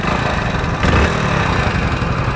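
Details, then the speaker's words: Hero Splendor Plus BS6 single-cylinder motorcycle at idle: even low thump with a light fast tick on top; owner suspects deteriorating oil, unconfirmed. "को बहुत ज्यादा नहीं बोलूंगा लेकिन आवाज आ रही है अब हो सकता है कि ऑयल खराब हो रहा है इस वजह से आ रही हुए हो सकता सच में जो चीज में मतलब फील कर रहा हूं"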